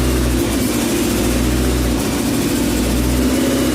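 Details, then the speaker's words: Engine first start, idle after cleaning a part with brake cleaner to cure idle surging: steady low drone dipping briefly about every second, mild hunting; distributor adjustment next if not fixed. "so we're gonna go ahead and throw it back on and hopefully that fixes a idle surging issue and if not we will start adjusting the distributor again until we get it to where we want it"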